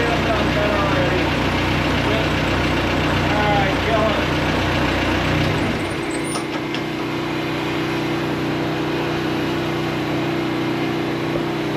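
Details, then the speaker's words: Case 1845 diesel, first trial start after adjustments and a thermostat change: rough heavy clatter settles within seconds into a steadier even idle, expected to smooth further as it runs longer. Normal idle. "Change that thermostat. That sounds much better."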